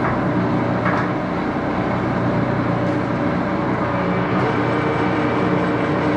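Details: Axelson 14x30" heavy-duty gear head lathe run through its speeds unloaded, headstock filled with AW68 hydraulic oil (about SAE 20); dense steady gear whir, mid hum, even clatter; noisy but normal running.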